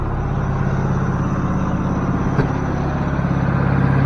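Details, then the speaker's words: Ford F600 truck engine after coaxing it to fire, around 2,000 rpm mentioned: steady low drone with an even beat, no knocks or misses, running smoothly; normal running. "listen to that [ __ ] just working all right yeah she running"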